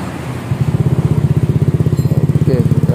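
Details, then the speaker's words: Honda Scoopy with its CMS exhaust rebuilt to turn a tinny note into a softer, deeper one, heard at idle after reassembly: a steady, even low burble with no rasp or rattle, softer than before; normal healthy exhaust note. "ada seperti ini bro lebih lembut suaranya ya"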